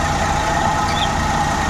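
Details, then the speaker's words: Suzuki Every Wagon (DA64W) idling with the air-con on after repair of a cylinder misfire that caused strong vibration: a smooth, even, quiet petrol idle with no stumbles and no vibration. "So Ayan umaandar na Ayos Okay na wala na siyang vibration patungan natin ng ano e"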